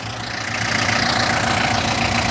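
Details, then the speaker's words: Yanmar FX26D 4WD diesel compact tractor with 860 engine hours: started at once and idles with a steady, even clatter, no misses or knocks; normal idle. "Сами слышите, двигатель работает ровно, завелся вообще с полуоборота."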